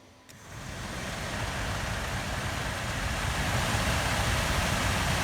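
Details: Suzuki Grand Vitara cabin blower fan, previously screaming with suspected bearing, run after being freed up and reassembled: spins up smoothly to a steady airy rush with no squeal or grinding; normal blower running, owner doubts it will last.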